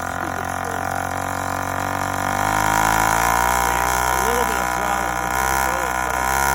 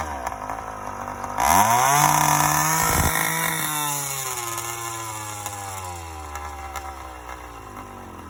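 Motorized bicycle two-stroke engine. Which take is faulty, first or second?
first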